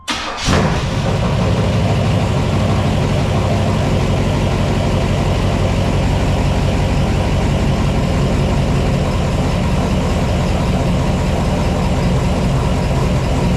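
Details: 4x4 Blazer with swapped small-block Chevy V8, freshly fitted exhaust replacing open headers: fires instantly and settles into a loud, steady, deep rumbling idle with no knocks or misses; runs healthy.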